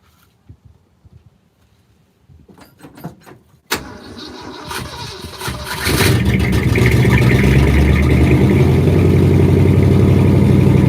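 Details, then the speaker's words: 1967 Ford F250 crew cab, after a tank cleaning, new fuel hose and filter, and a blown-out rigid line. It cranks, catches and settles into a smooth, steady idle once the inline filter stays full of fuel. "Alright, so it seems like it's going to idle fine now."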